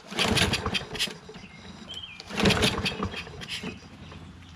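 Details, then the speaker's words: Poulan 22-inch self-propelled mower with Kohler XT675 engine, spark plug refitted and auto choke with fuel in the tank: two pull-cord rips, short cranking rasps, and it never catches; cause of the no-start unknown. "I mean I'm just confused as to why this doesn't run why the spark book was taken out"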